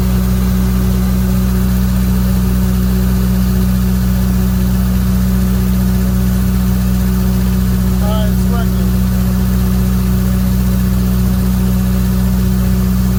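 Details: Briggs & Stratton 35 kW generator with a GM 3.0 L four-cylinder engine, rough idle: steady low hum with an uneven pulse near two per second. New O2 sensor, Bosch plugs and intake cleaner didn't fix it; the computer control panel board was the fault.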